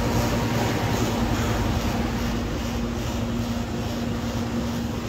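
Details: Home air conditioner compressor that would not start, after repair: a steady, even hum with a constant low tone under the fan's rush as the compressor starts and runs smoothly. Normal compressor running.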